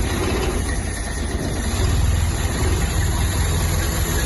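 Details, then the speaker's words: Ford Mk2 Capri 2.0 GT Pinto engine, not run for many years, started after the newly fitted distributor (previously out a tooth or two) was repositioned: steady, even low idle with no misses or knocks, only slight choke smoke, no blue smoke; normal idle. "ladies and gentlemen that's the pinto that's why these engines were the best things ever made"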